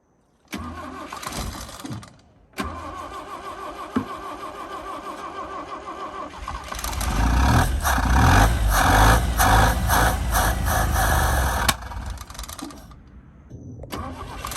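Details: 1965 Toyota Corona revived after sitting abandoned: starter churns about two and a half turns a second in long bursts, never catching cleanly; fuel starvation from a loose fuel-line hose clamp leaking, fuel filter full.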